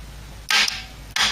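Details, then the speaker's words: Ford Cortina A4LDe automatic gearbox loom bench test, 12 volts to kickdown: two crisp clicks about two-thirds of a second apart in a quiet room as solenoid pulls in then relay switches to holding winding; working normally. "you can just hear the relay do it second click you can quite get that what the relay does one click or delayed click click on and it click off"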